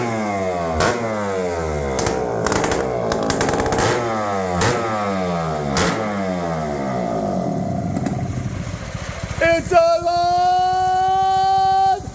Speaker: 406 cc's, a two-stroke rip, burn, rip your house off the house horsepower with a brand new Kia Air Striker.